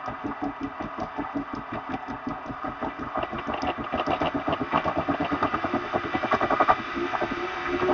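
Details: Elite Direto XR trainer spun by hand with a rough, scratchy grind pulsing each turn and speeding up with speed. It persists after the pulley was cleaned and JB Welded; owner suspects a bad bearing on the axle, right or left side.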